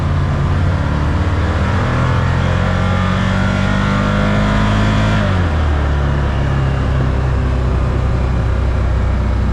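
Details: 2022 Can-Am Commander 1000R on test drive after wheel bearing replacement with Super ATV Ultra Tough bearing, torqued to 76 ft-lb: steady engine drone at speed, no screech or chatter as before; bearing now healthy.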